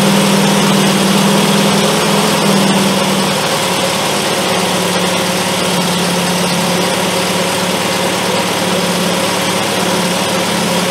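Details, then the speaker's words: Triumph Spitfire "Dorothy" with HS2 carbs, key-started with starter fluid after carb adjustment: a steady, slightly fast idle with an even low rumble and no big stumbles. It is running better than before. "Start it with the key this time, see if I can do a normal start. Oh yeah. Tell already that she's running better."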